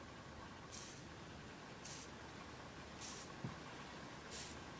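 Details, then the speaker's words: 2004 Volvo car amplifier that was submerged in water while running and caught fire, powered on during repair: short sizzling bursts about once a second from the board shorting internally and arcing, with visible bubbling beside a pin and a burning smell. "I can hear a sizzling. Oh yeah, I can smell that."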